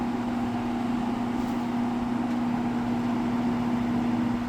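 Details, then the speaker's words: Window box fan, not run in a while: steady low motor hum with even airy rush of air buffeting on the blades, noisier than remembered. "You hear the motor humming a little bit and then the warping or not the warping but the uh"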